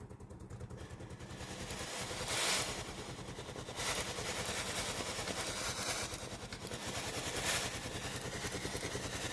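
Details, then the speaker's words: Philips GC7620 steam iron station after pump replacement for a no-steam fault: steady low pulsing buzz of the water pump with bursts of steam hissing when the water button is pressed, now operating normally. "Je vais appuyer sur le bouton du distributeur d'eau. Vous entendrez le doux bruit de la pompe à"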